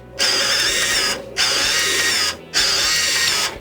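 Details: Sharp PC-1251 CE-125 base printer under test: three even, high-pitched buzzing print passes of about one second each with short pauses between them, printer working properly.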